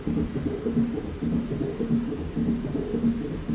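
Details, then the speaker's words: 1991 VW Transporter Doka double cab, electric conversion from 2013, under throttle: motor turns slowly with dull rubbing clunks and won't spin up, RPM not registering; cause unclear, possibly encoder issue. "i'm going to give it some throttle so the motor is turning over and it sounds like something's rubbing clunk clunk but it doesn't want to spin very fast"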